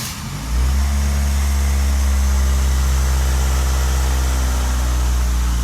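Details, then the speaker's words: Ford Focus at idle before motor mount replacement: deep, steady droning idle with buzzing shake and rattles coming through the body. Worn motor mounts make the car vibrate badly at idle. "hear this thing vibrates like crazy it's not enjoyable at all really to idle and i mean it rattles their teeth out"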